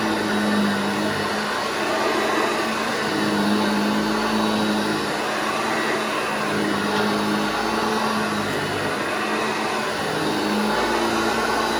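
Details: Restored vintage Hoover Junior 1334 vacuum, demonstrated after full restoration and reassembly: steady, even motor drone with constant hum, no rattles or grinding; running smoothly and healthy.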